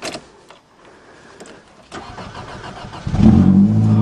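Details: Vehicle cold start after sitting unstarted since November 2008: three quiet seconds, then the engine catches cleanly and settles into a steady, even idle; healthy cold start after long storage.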